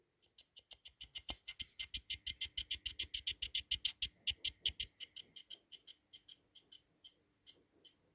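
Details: PS3 Slim fan fitted to a PS4 Pro, rotor pushed up and down by hand: dry quick ticking that speeds up and slows, the fan hub rubbing against its bearing.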